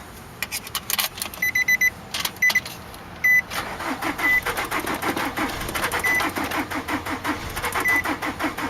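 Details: 2003 Nissan Altima 2.5 S with blown engine, sat about 8 months, weak battery jumped from another vehicle: chime beeps then fast even cranking that never catches; no start, low compression, flywheel reportedly bad.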